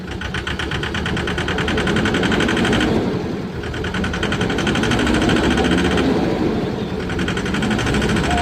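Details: Tata 1014 truck diesel engine knocking at idle: sharp, regular knock of roughly four beats a second over the rumble; cause suspected, not confirmed.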